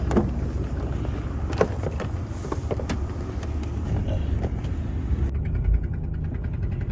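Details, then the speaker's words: 2005 Dodge Dakota with a rusted-through hole in the exhaust header where it bolts to the engine block: deep rumbling drone with a raspy, puffing edge that swells as the throttle opens; exhaust manifold leak. "all right this is an o5 dodge dakota and if you can hear that it's got a really nasty hole in the header where it exhaust bolts to the engine block and i'll show you how bad that sucker is when you step on the gas"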